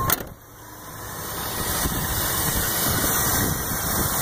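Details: 1985 Buick LeSabre with 60k original miles, fairly new battery, cleaned engine: fires right up and settles into a smooth, even idle with no misses, knocks or surging; normal idle.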